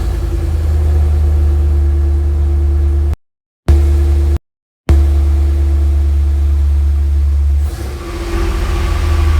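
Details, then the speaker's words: Studebaker pickup rat rod daily driver, cold start with door open: engine catches and settles into a strong, even low rumble, no misfire or knocking; normal cold start and idle. "I'm gonna open the door, give it a little cold start, and I'm gonna switch some of my trucks around so you can get to hear the Studebaker."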